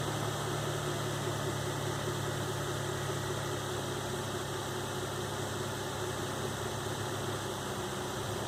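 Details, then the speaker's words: 2005 Nissan Xterra VQ40DE V6 after replacing timing chains, guides and all three tensioners (broken tensioner had left chain slack): smooth, even idle with steady low hum, no rattle or tapping; noise gone. "So as you can see or hear, when I started it up, the noise has gone away."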